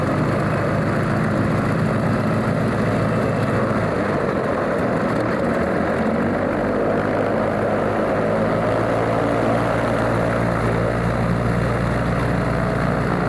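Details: Alvis Leonides Mk 25 radial engine in a Percival P.56 Provost trainer on a ground run-up: deep, steady roar with a low, even propeller beat holding smooth at high power, a healthy normal run-up.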